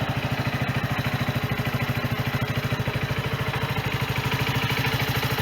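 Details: Sinnis Bomber 125 motorcycle, Suzuki GN125-copy single-cylinder, after service with new air filter, oil, oil filter, exhaust (from AJS Cadwell) and gasket: even putter about three pulses a second, no puffing or leak hiss; normal idle, exhaust blow fixed.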